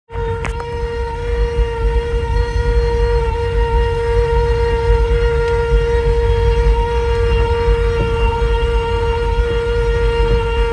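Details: Kia Sorento driving: a loud, steady high hum with ringing overtones from the center speaker over road rumble, persists with radio off, comes on randomly for about a minute and clears after an engine restart.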